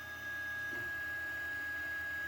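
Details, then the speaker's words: New Anycubic Mega S 3D printer running its first print after setup; steady fan whoosh with a fixed high whine; stepper motors seem quieter than owner's other unit but cooling fans are louder, upgrade planned. "the motors actually seem a bit quieter than my first one but the fans are louder"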